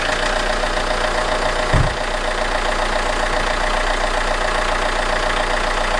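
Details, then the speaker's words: Alfa Romeo 159 1.9 JTDM diesel just after fitting a new exchange turbo: one brief thump, then a smooth, even idle with steady clatter and faint turbo hiss. Left idling hot to burn residual oil from exhaust and DPF, some smoke. "so I'm leaving the idling for a bit I want it to get nice and hot so it can burn the residue oil out of the exhaust"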